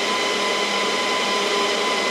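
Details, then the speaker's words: Dell PowerEdge R730 server during Windows Server 2022 build; loud steady high-pitched fan rush, fans at full 100% with no front warnings: cooling fans stuck at full speed. "now this server is pretty loud so i wonder if there's a way i can do power management to lower the fans down um yeah it feels like it's in full blast full 100 mode even though i don't have any warnings on the front here"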